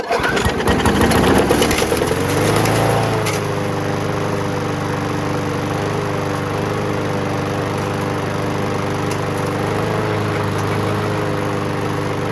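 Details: WeedEater 21-inch push mower with Briggs & Stratton 500 Series 158cc engine, after carb cleaning and diaphragm kit: catches after a brief crank and runs steady with no surging, restarts on first pull; normal running.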